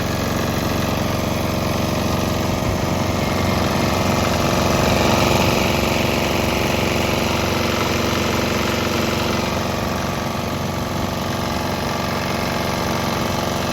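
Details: Swan X 165F Chinese single-cylinder diesel running on straight used canola (fryer) oil; even, regular chug at steady speed, no stumbling; normal running.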